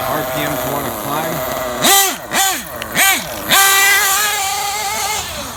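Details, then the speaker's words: Losi 8ight RTR nitro truggy, hot (about 300 degrees), lean on the low end: high-pitched buzz with short throttle blips, then idle hangs high and keeps creeping up in pitch — rising idle speed. "Listen to the idle. He's still rising up."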